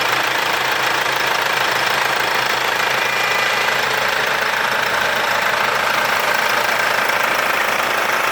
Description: So hört sich der W204 Motor an wenn alles okay ist. Zuvor wurde die Steuerkette gewechselt.